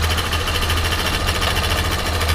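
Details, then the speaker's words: 2011 Yamaha Factor 125 after valve rocker adjustment: quick, even single-cylinder idle with a light, regular top-end tick and no heavy clatter; the previous rocker noise is gone. "mostrar agora o barulho da moto aí finalizada aí com balancinho de regulado e E aí ó ó e sem bater nada não"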